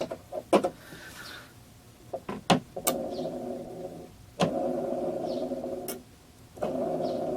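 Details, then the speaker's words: KWA SR12 airsoft AEG, V2 gearbox, during shimming: short even motor whir bursts, steady tone, no rubbing or catching; gear spins smoothly. "st going to spin the gear and listen for any noises and I don't hear anything"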